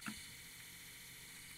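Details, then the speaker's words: Tascam 244 cassette portastudio transport after noise-reduction steps on the capstan flywheel area: soft, even mechanical hiss and faint whir with no knocks or flutter, considered normal audible running noise. "sound there I would consider that normal as audible and I hope that was helpful"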